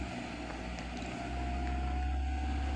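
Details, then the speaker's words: 2010 Suzuki (Maruti) Wagon R previously idling above 2000 rpm; scanner shows desired idle about 800 rpm and actual about 800 rpm after starting near 1000 rpm: steady low hum, no hunting or surging; normal idle. "here you can see desired RPM nearly 800 799 showing, means nearly 800 and we get engine RPM nearly 800"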